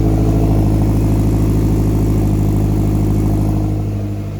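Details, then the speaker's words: Lotus V8 at idle after earlier knocking while bedding in: deep, even burble with steady low rumble, no knocks or ticks; engine now running smoothly and healthy. "So the engine's running really sweet now. Compared to what it was the other day with the engine knocking and kind of bedding in where the oil was circulating around."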